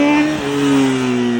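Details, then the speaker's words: 2008 Honda CBR600RR, 39,000 miles, Yoshimura exhaust, revived after sitting 2+ years with fluids changed and a new chain and sprocket: crisp clean four-cylinder revs with a smooth falling tone, no knocks or misses; normal revving. "one more think it sounds good [Music] [Music] yeah God it sounds so good dude healthy"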